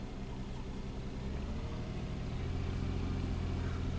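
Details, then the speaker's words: 2000 Toyota Sienna, 1MZ engine, 540,446 miles on original drivetrain, P0305 and flashing check engine light; idle runs smooth then cylinder 5 misfire counts climb with uneven stumble, injector or ignition suspected: intermittent misfire. "now it's a constant misfire you can see number five is counting up right away okay right now seems pretty smooth actually very smooth oh there he goes again"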